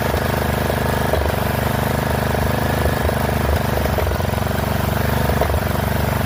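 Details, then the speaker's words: Poulan XT 12538 riding mower, 12.5 hp single-cylinder, 38-inch deck, after fitting a new carburetor (old one leaked fuel into crankcase), engine warm: thumping fast idle with uneven beat and occasional stumbles. Rough running; intake/exhaust valves suspected of needing adjustment. "I think we're going to have to adjust those valves. So, I'm going to let it cool down for a little bit and then we'll have to readjust those valves on there cuz they're probably not set right."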